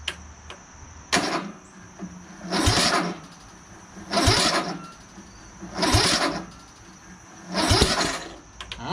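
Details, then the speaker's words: Craftsman LT1000 lawn tractor repowered with a rebuilt engine and new battery, on choke; sluggish cranking bursts with occasional pops, spark and ignition present but turning too slowly; owner suspects a weak new battery and tries a jumper pack; slow cranking. "so it is igniting the fuel but i don't think this is turning fast enough so i think we need to put a jumper on the battery"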